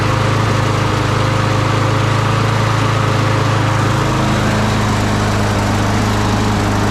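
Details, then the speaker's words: Craftsman push mower after replacing the carburetor with a new Briggs & Stratton 650 series unit, primed and pull-started outside: small single-cylinder engine putters steadily at even speed with no misses or surging; running normally. "all right so it is that simple all we had to do was replace the carburetor and she runs"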